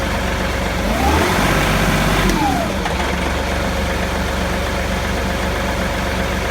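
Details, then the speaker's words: John Deere 2038R tractor with 270B backhoe that barely moves when the controls are cycled; diesel idles then revs with a low droning growl under the engine note, cause unknown; low growl under revving. "okay I'm going to start the tractor and see if I can capture the low-level growling noise that I have been hearing ever since my backhoe stopped working"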